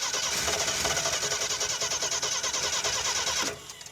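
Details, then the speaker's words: Off-road AMC Pacer with Holley Sniper two-barrel EFI kit, fuel pump not heard running: steady starter cranking with regular chug about three beats a second, never catches; crank no start from no fuel delivery. "yeah it's got no fuel let's try some other switches well the fuel pump should just run"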